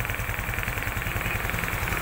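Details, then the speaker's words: Honda XRM125 FI idling after a general overhaul for oil starvation: new connecting rod, 0.50 oversize piston and rings, new O2 sensor; engine very quiet, even low putter with regular firing and no knocks, injector spray clearly audible; normal idle. "Tahimik na tahimik yung makina. Yung under, yung medyo injector."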